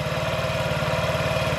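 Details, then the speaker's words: 2017 Honda Ruckus NPS50 50cc four-stroke scooter, idle screw being turned down with an inductive tachometer: slow even putter just under 2000 rpm, close to stalling; idle set too low. "all right so I'm getting close to losing there we go all right getting there it's just under 2 000. sounds like it's about to drop out"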